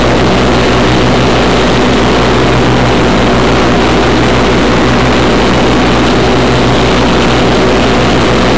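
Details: 1991 Craftsman GT6000, 20 hp Onan twin, first mow after deck lift eyelet bolt welded: steady drone with even blade whir under cutting load, no knocks or surging; normal mowing under load.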